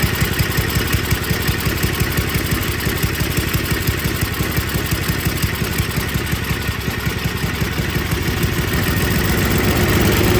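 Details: Older MTD Yard Machines snow blower with Tecumseh 5 hp engine, after rebuilding the carburetor and reconnecting the linkage over a deteriorating, possibly air-leaking gasket: steady, even putter about three beats a second, no misses or surging; sounds healthy.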